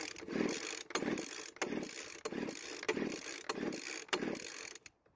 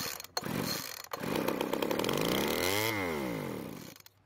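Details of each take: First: Poulan Pro blower vac engine, originally 50 psi compression after a stuck engine was freed; pull-cord compression test with engine mostly reassembled now reads almost 100 psi. Rasping pull strokes about every 0.7 s, fairly soft; low compression from stuck piston ring. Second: Poulan Pro blower vac small two-stroke with low compression (about 135 psi with oil in cylinder): catches, buzzes up to high rev, sweeps down and dies after a few seconds; fires and runs, so reassembly can proceed.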